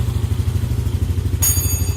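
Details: Yamaha Aerox after error 37 cleared and idle speed control (ISC) reset: low, even putter about eight pulses a second holding steady; idle smooth and back to normal.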